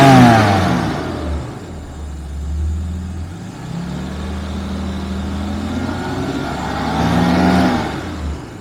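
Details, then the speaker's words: 1991 Jaguar XJS V12 convertible on a mid-winter warm-up at 5°C, both thermostats open and fully warm: deep, even idle hum swelling smoothly through gentle revs and settling back, no misses or knocks; healthy engine running silky smooth. "Silky smooth and running really well."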